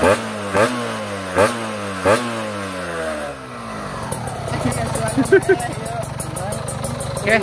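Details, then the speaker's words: Ninja 2T two-stroke after engine rebuild with new special block and head, throttle blips on test: several crisp blips dropping back cleanly to a steady, even ring-ding idle; smooth and healthy. "Ini suaranya Udah jelas banget halus ya tuh halus banget"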